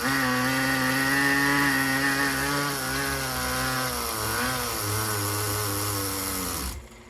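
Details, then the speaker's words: Tamiya TGS-R nitro RC car, first run on freshly rebuilt, brand-new engine: the tiny engine screams at a fairly steady pitch, sags, then cuts off without revving higher; loss of power, owner suspects break-in or incorrectly installed piston/sleeve or head. "I can tell you something something a right cuz uh she's uh she won't rev up past that which I don't want to rev the crap out of it cuz it's brand new but uh she ain't revving up too much she definitely had more power"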